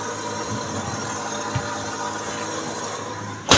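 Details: Bosch dishwasher after foaming liquid was added: steady, unbroken drain pump hum right after power-on, tap indicator flashing, no button response; Aquastop leak sensor tripped so the pump runs continuously.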